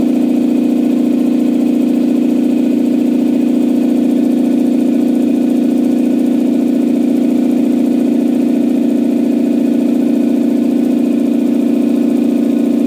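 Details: Campbell Hausfeld 2-cylinder air compressor on its test run after a head gasket replacement (new gasket with a dimple drilled for the divot). It had only pumped to about 5 PSI. Steady even drone, regular pumping about 3.5 per second, no knocks or leaks: fixed and healthy.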